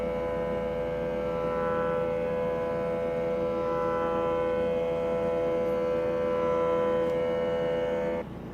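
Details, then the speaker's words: K&S 4526 wire bonder on power-up: a steady, even tone holds about eight seconds, then cuts off cleanly as the Y-stage motor homes to its limits; normal initialization. "It takes a little while, but you can hear the motor turning. So the Y stage is looking for the limits."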